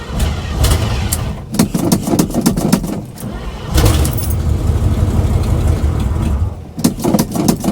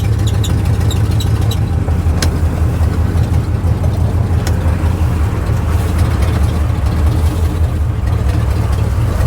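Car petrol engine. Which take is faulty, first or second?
first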